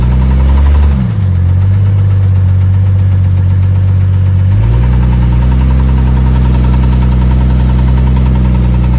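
Engine drops then steadies with fast light ticking riding over the hum; ticking noise from the six-cylinder, cause unclear.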